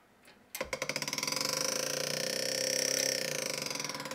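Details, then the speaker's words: IBM PS/1 486 computer fan with smashed blades, mounted inside the case. Fast, rhythmic scraping ticks over a thin high whir as it tries to spin up, with the blades rubbing the case. It works when placed outside the case, and a new fan is planned. "That fan is smashed. So the blades are touching the case back here."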